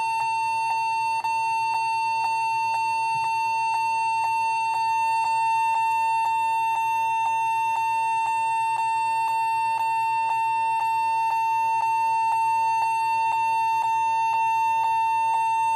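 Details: Lenovo G40-80 (80KY) laptop, no charger, during boot: steady unbroken high beep through the clip with faint ticks twice a second; long error beep, cause unconfirmed, keyboard or hard drive suspected, title asks if memory.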